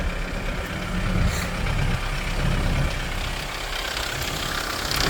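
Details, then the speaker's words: Kia Sorento diesel cold start: loud, uneven slapping rattle over the low idle rumble with brief white/black smoke and shaking until warm, then smooth; owner suspects a chain, also glow plugs. "I like it really loud. Sounds like a It's a chain. That noise like a It's like a popping sound like a like a slapping. It's like a chain."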